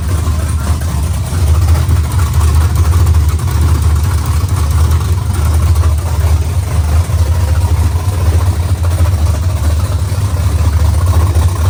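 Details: LS-swapped 4x4 Cadillac burnout car after swapping two backwards-plugged coil wires: deep, even rumble with steady beat, no misses or knocks; smooth healthy V8 idle, though alternator not charging and transmission crossmember bolts not yet installed.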